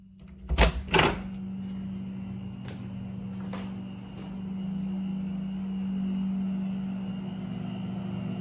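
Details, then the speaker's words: Rheem Performance Platinum heat pump water heater in a garage with the door closed: two door thumps, then a steady low hum with a faint high whine; compressor and fan run smoothly and quietly, normal. "so it's still pretty quiet didn't make much of a difference"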